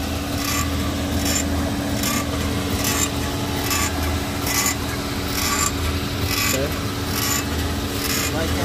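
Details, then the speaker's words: VW Fox, engine idling so power steering is light, steering turned: dry rasping creak about once a second, metallic; suspected tie rod end or link, possibly from the steering rack. "Tem um barulho como se fosse ferro. Ou bieleta, beleza?"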